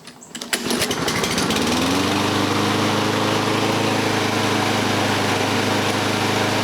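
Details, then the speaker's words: Toro Recycler front-wheel-drive self-propelled mower after broken drive cable replacement: engine starts, revs up over two seconds, settles into smooth even run with no misses or knocks; working normally again. "we're back in business the Supper pail works well"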